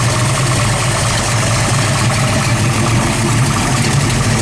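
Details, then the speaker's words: Factory Marty-report 1973 Mustang Mach 1 big block with aluminum heads, headers, high-rise intake and 5-speed manual, idling at about 500-600 rpm: deep, slow, uneven loping chop from a lumpy cam; normal healthy idle. "Now we've got this idle sitting at about 500-600 RPM, just so we can hear that awesome cam sound to it."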